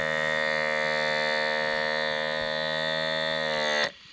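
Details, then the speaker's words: Small diaphragm pump for water and air on a 6 V power supply, driving a syringe piston: steady, even buzzing hum at constant pitch until it cuts off; running normally. "okay and you can see there that the little pump does a pretty good job of moving the Piston up through the cylinder"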